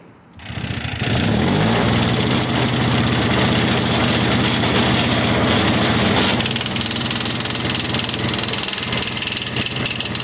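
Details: Yard Machines 21-inch single-stage snow blower after fitting the correct auger belt, run outside with traffic in the background: the small single-cylinder engine catches and settles into a steady, even run with no knocks or slipping.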